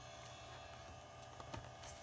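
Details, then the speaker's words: AST Bravo MS 5166M Pentium MMX PC: steady faint high whine over low hum from Western Digital Caviar hard drive in a muffling silent-drive enclosure; normal, no fault. "the silent drive is not entirely silent as you can hear you can still hear the whine of the caviar"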